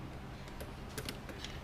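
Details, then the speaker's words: Hi-Power Cycles electric bike with a thick 25mm axle and a freewheel setup built to run silent, unlike typical conversion kits: near silence while freewheeling, only light rear chain ticks, no ratcheting from the motor. Normal quiet freewheel. "So the only sound you'll hear is a little bit of the chain in the back. Yeah, nothing up here. It's like super quiet."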